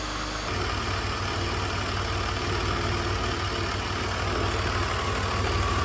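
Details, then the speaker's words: BMW E46 330i M54B30, cold engine at idle, noise appeared within the last 1000 km: loose, uneven low thumping that comes and goes as idle drops; intermittent knock, DISA suspected, two sounds found. "today we're going to chase a sound that has arisen within the last thousand kilometers or so only is when the engine is cold but only at idle as well"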